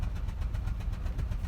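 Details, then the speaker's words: Citroën Xsara Picasso with low power and engine light, at idle: deep choppy idle with rough stumbling pulse several times a second; codes suggest cylinder 4, not confirmed. Severe misfire. "Right, okay. We no longer have the, I mean, it's quite clear that we are having a very, very bad misfire."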